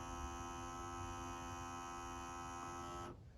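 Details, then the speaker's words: Fujitsu General VGH-630 Hi-Fi VCR at power-on: a steady, fixed-pitch electric motor hum runs about three seconds, then the deck powers itself off; the mechanism motor runs when it shouldn't. Cause not confirmed. "When I plug in the power, I hear the motor running inside."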